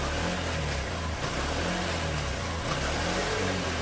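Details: Honda Shine motorcycle after clutch plate replacement, new engine oil and new plug, starting on one kick: single cylinder revs cleanly through gear changes, pulling evenly with no slipping, rattle or grind; normal running.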